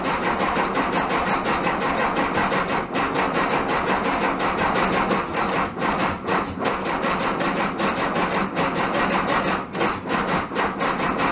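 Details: 1967 VW Bug, big-bore 2387cc engine, cold day (~15°F), after fuel delivery fix: over ten seconds of even cranking with occasional pops, no catch; owner suspects ignition and needs fine tuning.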